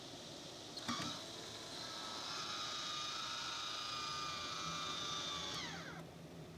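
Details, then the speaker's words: MaxxFan Deluxe roof vent fan in a camper after 2 years of use, running at 40% speed: steady airy whir with faint even hum, no rubbing or rattle; becoming slightly loud but working normally. "przy 40 wydajności już troszeczkę zaczyna być głośno"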